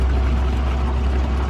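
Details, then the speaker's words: Dynamax DX3 RV dumping its black holding tank through the macerator pump into the hose; steady low hum with even water rush, no labouring or grinding: macerator pumping normally, tank not yet empty. "And now the water is flowing from the black tank inside the camper through here, the macerator, which is chewing on everything, and then it's running through the hose down there. You can hear the water running,"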